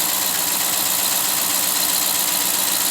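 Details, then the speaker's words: 2013 Dodge Charger V8 at idle on a cool day (around 48–52°F): fast, fairly even lifter tick over a hissy run, misfiring with a code despite new coils and plugs; broken lifter, to be fixed with new cam and lifters. "y'all here she missing she got a bad code check it out [Music] with the ticking and attacking and the banging and the bungee yeah had a bad lift"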